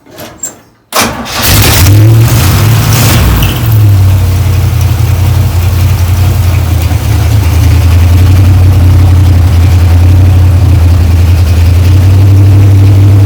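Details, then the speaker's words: 1935 Ford 3-window hot rod with a 327 on six 2-barrel carbs and a 4-speed, first start in years: it catches after a short crank, flares and holds a fast high idle because loose linkage on the throttle shaft isn't returning. "when I fired it up the other day it was revving up and when the linkages weren't kicking down but I found the guilty culprit"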